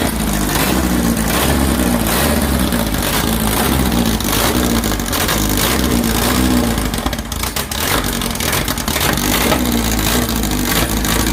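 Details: 2332cc air-cooled VW bug (Dust Buggy) after cleaning carbs and setting mixture screws: revs up and settles with even beat, no missing; smooth running after mixture adjustment.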